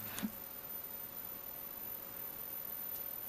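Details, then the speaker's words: 1973 Sony KV-1800UB colour TV, first switch-on after 33 years, straight on mains: one short thump at switch-on, then faint steady high whine; screen lit with red raster; cause of noise unclear. "Well, made a noise, didn't it? Oh, it's lit up."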